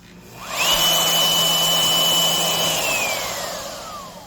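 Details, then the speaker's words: Skil RT1322-00 1680 W digital wood router after loose silicone tension washer replaced with proper bearing wave washer: smooth high whine up to 25,000 RPM, no vibration or rattle; runs smoother and quieter than before the fix. "a nice smooth acceleration, no vibration. Once again, it's just absolutely tight."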